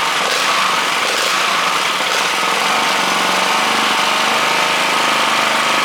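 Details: 98cc gasoline minibike engine (JC Penney Bird build) idling with its exhaust fitted, before going into the frame. Even, fast, slightly buzzy idle with no misses, knocks or rattles; it runs normally and very quietly.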